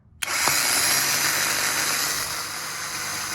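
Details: Starter removed from built turbo Volvo wagon drift car, Chinese-stamped unit, not Bosch, spun free out of the car: harsh high-pitched whir with raspy scrape; failed thrust bearing lets armature rub, source of extreme electrical noise.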